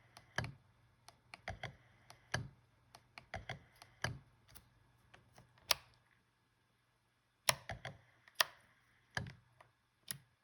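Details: Fujifilm X-H1 in-body image stabilizer: irregular clusters of sharp mechanical clicks, knocks and clunks when turning on and pressing playback, seemingly louder than other models; cause unknown.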